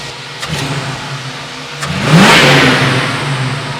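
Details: 1967 Ford Mustang 302 V8, about 20,000 miles since rebuild, hot, after timing set to 10° and idle speed adjusted, vacuum 19 solid: smooth idle, clean quick rev rise settling back evenly, no misses; small vacuum leak and overexposed transfer slots corrected.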